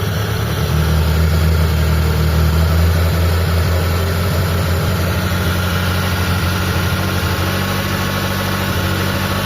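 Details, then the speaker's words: Mitsubishi Lancer "Pizza" 4G13 carbureted engine, brought in for low power and hard starting: after the carburetor idle was tuned, vacuum reads 20 and the idle is low, steady and smooth with no misses or hunting; normal idle. "Ayan oh nasa normal na siya mga boss."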